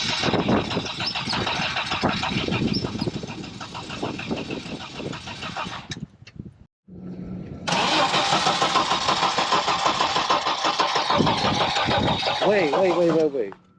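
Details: 1986 Audi 4000CS Quattro that had sat for a few years: the starter churns at a steady, fast rhythm through two long attempts with a pause between, never catching. It cranks but won't fire; cause not confirmed.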